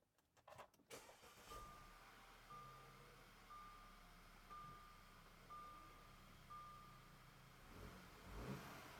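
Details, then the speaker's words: Junkyard Audi after new timing chain install: cranks and starts instantly, settles into even quiet idle with chime beeping about once a second; no rough idle, no check engine light or codes. "okay so that was a relief uh it started instantly which is what we're looking for it didn't have a rough idle and no check engine light which is good"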